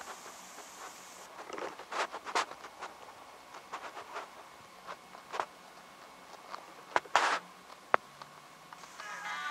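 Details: LG G2 on KitKat firmware, even after the 'G' update: faint clicks and taps, with a thin high hiss that rises from the speaker when the volume is adjusted; audio output hissing on volume change, still not fixed.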